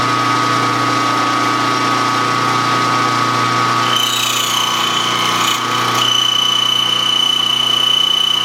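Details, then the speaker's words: Hobby machine-shop cut on a governor weight arm part: a harsh cutting noise with a thin, steady high squeal that jumps higher halfway through as the tool chatters. The machinist suspects the spindle speed was raised too high and goes back to a lower RPM. "Well, maybe I should have left it. Maybe I should have left it at that lower RPM. That's just, I don't want to hear that."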